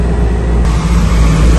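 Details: Trane rooftop package unit after adding refrigerant charge, not-cooling service call with blown fuses and ice; steady deep hum, even airflow, no rattles or cycling. Running smoothly, 55 on low side, no ice, cooling.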